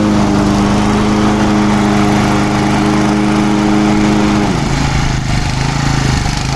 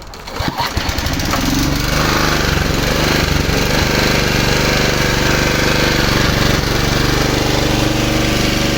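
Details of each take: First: Low-hour Japanese-made Honda HR215 lawn mower, just freed from seizure with kerosene and oil in the cylinder. Runs steady at high speed, then drops lower and runs rougher. Idle not set but it idles; it smokes, possibly needing a rebuild. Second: Low-hours Honda HR215 lawn mower, formerly seized engine, after idling about 15 minutes with no smoke: pull-start catches within a second and settles to a steady, even putter, briefly sounding like it might stall but running healthy.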